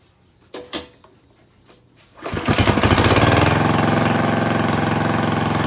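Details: Craftsman lawn edger, 140cc engine, reassembled after cleaning a lot of dirt from the carburetor: a couple of pulls, then it catches and settles into a steady, even buzzing run at fairly low speed; sounds healthy, though owner unsure whether it should run faster.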